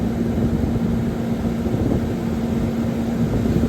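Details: CaptiveAire bread-oven hood exhaust fan with new motor, VariSpeed potentiometer (suspected cause of old motor failure): steady airy rush with even hum, no rubbing, rattle or surging; 3.5 A draw; running smoothly.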